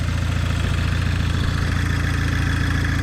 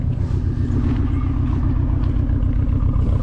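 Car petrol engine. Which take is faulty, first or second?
second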